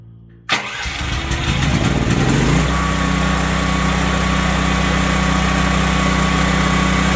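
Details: Duromax XP12000HX generator after fitting NGK BPR6ES spark plug and new gas hose, previously backfiring on restart: catches on first pull, steady even drone settling quickly, no popping or misfire; healthy start.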